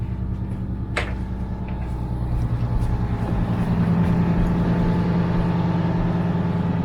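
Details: Yacht port engine running, heard below deck during alternator and battery combiner check: steady low drone, even firing pulse, no knocks or squeals; 13.6 V reaching the house bank, charging system OK.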